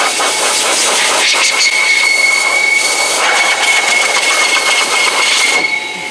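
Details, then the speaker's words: BigBoi BlowR Pro car dryer running on half setting for both: loud steady rushing blower with an annoying thin piercing whistle on top; source unconfirmed, owner wonders if half speed causes it. "i don't know if that's because it was on half speed but did you guys hear that whistling sound that was very annoying"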